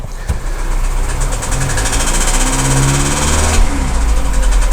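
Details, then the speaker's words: Audi Q3 1.4 TFSI (CZDA, EA211) with knocking and oil consumption, no fault codes: deep knock persisting as revs rise, barely changing with speed, slight misfire vibration. "Ага запустили ошибок никаких нету но стоит вот такой вот стук Пойдёмте к капоту вот так вот он тарахтит вот такие вот у нас собственно проблемы стук и масложор"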